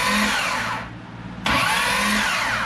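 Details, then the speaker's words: 2005 Corvette with a built supercharged motor, starter jumpered with a wire: two high-pitched whine bursts winding down with no engine firing and no click; owner suspects the starter pinion is stuck out and not retracting. "now what my concern is that high-pitched wine you're not hearing it engage or disengage so I think what might be happening is the starter you know that Arbor the teeth whatever you want to call that I think that is stuck out it's not retracting"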